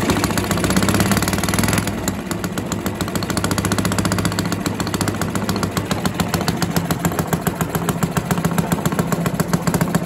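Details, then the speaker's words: Villiers 10 petrol engine on old Barford cement mixer, no choke: steady even single-cylinder putter about three and a half beats a second, no misses; runs well, though compression not excellent. "oh that's running that's good that's the stars you can hear that running maybe one of the easiest engines i've ever come across"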